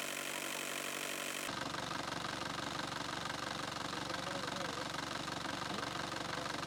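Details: Chevrolet Tavera diesel idling with radiator flush product added to the coolant, run about 15 minutes until warm: steady clatter with an even beat and no misses or heavy knock. Normal idle.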